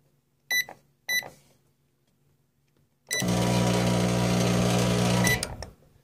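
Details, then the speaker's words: Microwave with a shorted high-voltage capacitor: two keypad beeps, then a loud heavy buzzing growl as it draws heavy load and the lights dim; similar sound occurs with a failed magnetron or diode. "you notice the loud grumbling sound and you saw all the lights dim it's pulling a very heavy load because the capacitor is short in this case"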